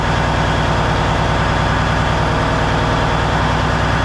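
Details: Peterbilt truck diesel, first start after cab refit with fresh fuel in the rebuilt tanks; steady, even idle with a deep, regular beat and no knocks or misses; runs clean.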